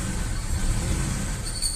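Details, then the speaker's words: Suzuki Escudo, engine running, noise starting when the clutch pedal is pressed: a thin high whine above the low rumble; the clutch release (throw-out) bearing was found worn and removed. "a ver ahorita vamos a pisar el embrague aquí tenemos el embrague empieza el ruido y se apaga no como se puede observar"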